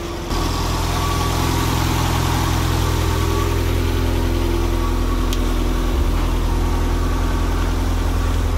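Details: Nissan engine now running on a Link ECU after refitting the stock crank trigger in place of the 36-1; started slightly rich. Smooth, even idle with a steady low hum and no misses, knocks or ticks; engine sounds healthy.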